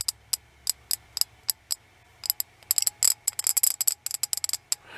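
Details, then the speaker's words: Ratchet ball screwdriver: bright clicks in uneven bursts, quick clusters and gaps, clunky and vibrating as if stripping; rough clunky ratcheting, cause suspected. "Almost like something's stripping out. And I can feel it vibrating in there."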